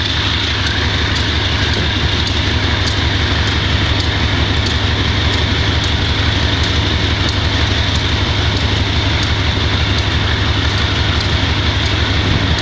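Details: Wimpy Mtl B30-7 locomotive diesel with bad injectors; heavy thumps about three a second, uneven lumpy beat under a steady drone, misfire. Repairs included air intake, some injectors replaced, valves checked.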